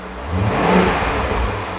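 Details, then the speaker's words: 5-litre V8 in a wrecked Range Rover, coolant temporarily bypassed, revved toward 3,000 rpm in a pre-removal check: smooth strong blip rising and settling evenly, no knocks or rattles; no warning lights, healthy engine. "Not too much, yeah? Give it to 3,000 RPM."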